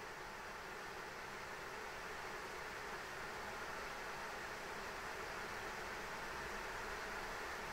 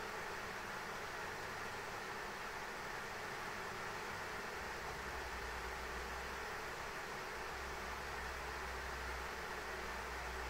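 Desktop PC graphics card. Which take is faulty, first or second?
second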